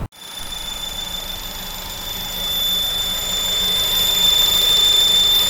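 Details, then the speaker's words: FN2 car after about 10–20 minutes of driving: a piercing, steady high-pitched whistle from the fuel rail/injectors that rises slightly as it runs. The problem has returned despite all injector O-rings having been changed before. "Now we're tackling a problem that we tackled previously that's now returned, unfortunately, which is that really high-pitched sound that my fuel rail / injectors are making."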